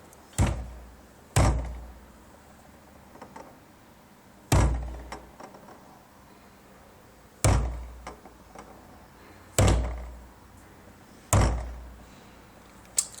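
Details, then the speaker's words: Knock hunted for three years in the suspension turns out to be the fuel tank: with the engine off, light blows on the tank give dull, hollow thuds every one to three seconds that die away quickly; cause unknown. "три года искал стук где в подвеске оказалось это не подвеска при легком ударе по топливному баку производит примерно вот такой звук"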